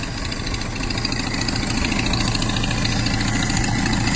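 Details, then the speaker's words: Datsun J15 engine idling after head gasket replacement and valve clearance adjustment, with a steady rhythmic tick about three per second over the exhaust note; owner suspects a blown exhaust manifold gasket, unconfirmed. "problem would be I have a blown-out exhaust manifold gaskets or one of those and I won't see that for next week"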